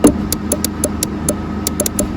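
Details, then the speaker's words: 2011 Isuzu D-Max crank no start, scan tool not seeing a signal: sharp dry relay clicks about four a second over low engine-bay hum, relay chattering; cause not confirmed. "in there with the red, sorry, I'm blocking my own light, here with the red dot on it is what's giving me that clicking."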